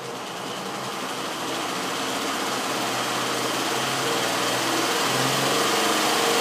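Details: General International 2x42 belt grinder converted to a salvaged 2 hp DC treadmill motor and controller with added cooling fan, after original motor's start winding and capacitor failed; soft-start at minimum speed then raised; motor and belt hum rise smoothly, no rattle or grind; normal running.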